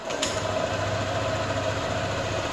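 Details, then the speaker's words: Motorcycle (ADV) whose smart-key ignition knob is stuck, started by jumpering the black-red and red-white wires with the remote nearby: the small engine idles steadily with an even low hum and faint whirr, no misfires or knocks. "motor hidup nih teman-teman"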